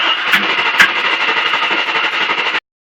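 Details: LT1 engine: the starter cranks steadily at about four turns a second for over two seconds and the engine never fires, then silence. It cranks but won't start; the cause is suspected, not confirmed.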